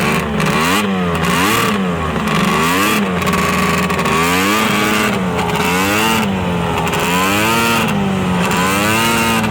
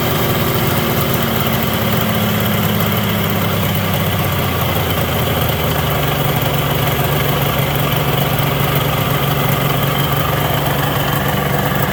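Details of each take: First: Arctic Cat ZRT 600 triple two-stroke snowmobile, center plug boot reattached: crisp three-cylinder buzz with repeated throttle blips, pitch rising and falling cleanly; the fuel pump works and the engine runs properly. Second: ZRT 600 two-stroke triple snowmobile idling high near 3000 rpm; brake cleaner sprayed at crank seal, pitch slowly sags lower. Crankshaft seal air leak.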